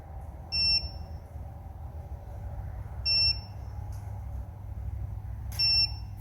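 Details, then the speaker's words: Electric motorcycle FarDriver controller, wheel off the ground, with the motor Hall sensors deliberately unplugged: after the motor spins, a single sharp beep, long pause, single beep, about every 2.5 seconds. This is error code 1, a Hall sensor fault. "so it's a beep a pretty good pause and a beep one beep is a one if it did it quicker it it would be beep beep beep beep pause that' be three or if it did it 15 times pause that'd be 15"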